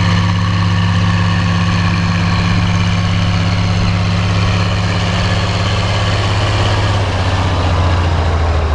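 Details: Oliver 1550 diesel tractor (about 54 hp) pulling a John Deere BW disk about six to seven inches deep, running like a top now that whatever was in the fuel system has cleared; a deep, steady drone under the disk's pull with no misses or knocks.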